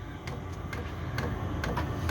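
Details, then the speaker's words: Chinese 5kW diesel heater running on kerosene via a 240V-to-12V transformer, two winters' use, startup warm-up: steady fuel pump clicking over low fan hum, ticks quickening as fan ramps up over 2–3 minutes; normal startup. "you feel that hear that now how it's ramped up I mean it sounds noisy but to be fair you k"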